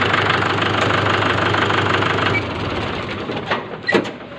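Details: Mahindra tractor diesel idling just after fuel injection pump spill-cut (drop) timing was matched: steady clatter at an even idle of about three beats a second, no misses or odd knocks; running normally.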